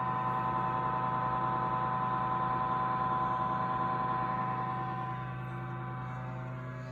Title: Audew cigar humidor, making loud noise after buying it couple months ago